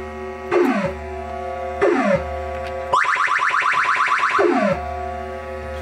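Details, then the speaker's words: 1980 Williams Scorpion pinball after fitting a new sound board: clean electronic tones and falling sweeps with no crackle or hiss. Normal sound board output. "oh yeah i think i'm gonna like this much better"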